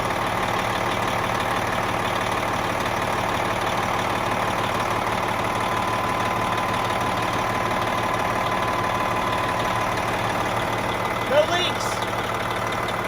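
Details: Diesel truck, somewhat warm, idling after its 1.1-million-mile turbocharger (side-to-side shaft play) was replaced with a new one; steady, even idle, smooth low rumble, no misses, knocks or hiss; healthy.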